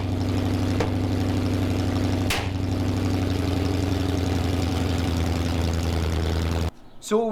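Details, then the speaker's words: Freshly rebuilt Mopar 360 V8 from a 1974 Plymouth Duster, first start during hydraulic flat-tappet cam break-in: rough, lumpy idle with an uneven beat, misfiring badly, timing couldn't be set; two spark plug wires were accidentally swapped. "was running but it wasn't running well we couldn't get the timing right it was misfiring pretty bad after a bit of digging we found that we'd accidentally swapped two of the plug wires"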